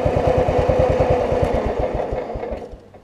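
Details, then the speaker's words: Cub Cadet 1320 riding mower with old Kohler single-cylinder, after deck welding: even, steady thumping idle, about ten beats a second, with no misses, fading at the end. A smooth, healthy idle. "tell you what let's go forward here i want to go full speed up the driveway i think that'll work y'all i love these old kohlers they just idle so nicely"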